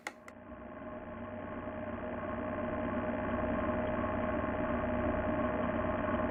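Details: Boosted Board v2 electric skateboard motor at 70 miles: steady hum with faint even click about four times a second; play found in the motor shaft bearing.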